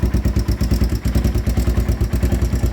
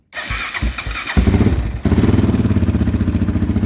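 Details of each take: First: 2001 Honda 400EX single-cylinder ATV, restarted with the choke turned down after an unexplained lockup: steady, even thump at about seven pulses a second, no misses or clatter. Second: 2001 Honda 400EX ATV, engine had locked up, freed by turning backwards 1/4 turn; owner suspects one-way bearing: quick start, fast even thump about four beats a second stumbling and dying on choke, then runs with choke turned down.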